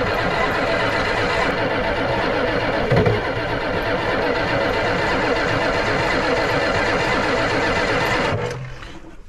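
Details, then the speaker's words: Ford 7.3 IDI diesel with glow plugs on, labored cranking about eight seconds to bleed injectors, with no firing; battery running low. Slow cranking. "she is running pretty low on battery again but let's just see I'm going to crank it over and just bleed the rest of these injectors out a little bit"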